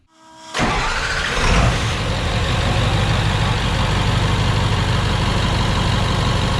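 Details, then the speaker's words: Ford OBS 7.3 Super Duty diesel after dual belt tensioner upgrade with new tensioner and belt to cure a front-engine squeak: short crank, then steady, even clatter with deep low rumble, no squeak or chirp; normal start and idle. "You don't hear anything else other than the beautiful sound of this truck."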